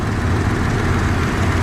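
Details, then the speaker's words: 1994 Dodge Dakota SLT V8 after new oil pump and pickup tube: deep, even idle with a steady low rumble; the loud tick before oil pressure builds is gone, no ticking or knocking, engine sounds healthy. "And this thing sounds really good."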